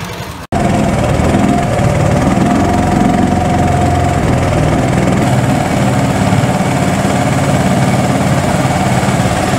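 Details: Mud-Skipper surface-drive outboard, started by key with electric start: short start, then a steady, even low idle with no knocks or misses. Normal idle.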